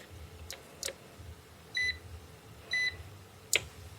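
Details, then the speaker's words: Old Cyberlink-type UPS, about 1999–2002, after battery replacement, which before did nothing at power-on: two clean, high, short beeps about a second apart in a quiet room as it lights up and starts; normal startup, battery working. "Well, there you go. And the battery's working, the power's on. It never lit up like that when the battery was bad."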